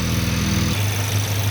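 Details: Cold start of a 2023 VW DLB engine, rebuilt at 23k km, after an oil and filter change, with the air conditioning switched off. Steady, even low hum at cold idle with no knocks or misses; the engine settles smoothly and sounds healthy.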